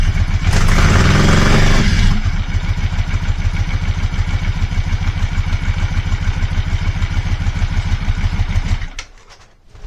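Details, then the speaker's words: Yamaha Virago 535 V-twin carburetted engine after a full service, stone-cold start: burst of revs then lumpy, stumbling idle, misfiring when revved; owner attributes it to the cold carbureted engine, unconfirmed. "It's still not keen on you revving it. It seems to sort of misfire then, but that's probably because it's a stone cold start and carburet engines don't really seem to like that."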